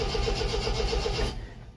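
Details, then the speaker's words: 1974 MGB, first start attempt after 7–8 months sitting, battery getting flat, choke pushed in: the starter churns at 7–8 beats a second with no firing, and the rev counter does not move. Owner suspects no spark. "Come on. That's interesting. The actual RPM isn't changing."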